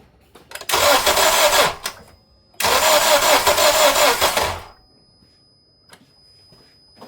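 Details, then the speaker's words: Acura TSX, crank no start, after timing chain installation, sitting a long time with oil in one cylinder: two short bursts where engine catches and runs evenly, no knocking or rattle; normal start and run. "I wound up starting it up like as the state that it's in now, just to get an idea of the harmony, and it sounded fine."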